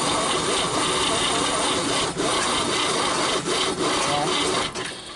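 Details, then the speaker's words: 1959 Chevrolet Apache first start in years, on jump cables: rhythmic rasping crank about three and a half strokes a second, stalling as it kicks back against the starter; timing suspected too far advanced or plug wires wrong. "Sound like the timing's advanced too far on it. When it's hitting, it's stopping."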